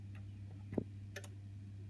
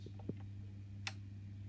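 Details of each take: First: Honeywell heating programmer, boiler not turning on: over mains hum, one firm click with heating on, none for hot water, then two near-simultaneous clicks on heating off; programmer relays faulty. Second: Honeywell programmer on a boiler, heating switched on: one crisp firm relay click over faint mains hum; heating relay switching properly, while hot water side gives no click.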